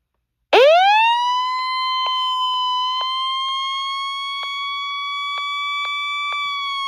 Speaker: Yeah, these ones tend to be really loud.